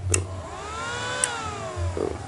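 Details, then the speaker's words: Emerson R48-2000 switching rectifier that starts then goes back to standby, plugged in; sharp electrical zapping snaps with rising and falling whine at switch-on while the lamp blinks: electrical zapping on power-up. "saat dinyalakan, terdengar suara sengatan listrik."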